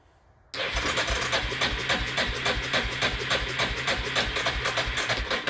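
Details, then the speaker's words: Carbureted Yamaha with accelerator pump that sat outside at least two years, fuel system suspect: catches suddenly on starting spray, uneven lumpy beat of three or four pulses a second, then dies. "I guess that's all she wrote on the what little bit I sprayed in there."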